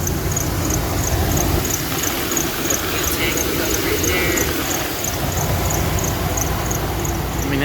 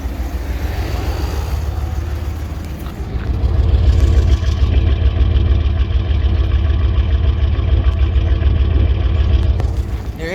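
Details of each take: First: 2000 Dodge Ram Van 3500 at idle, after rough-idle fix (hidden 15A O2 sensor fuse replaced): thin high-pitched chirp about three times a second over steady idle, typical Dodge squeak, minor; exhaust leak also noted. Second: 2000 Dodge Ram Van 3500 after the rough idle was fixed by replacing the hidden 15A O2 sensor fuse: steady, even idle, no longer stalling with air conditioning on, a brief light rev settling back, slight exhaust leak; normal idle.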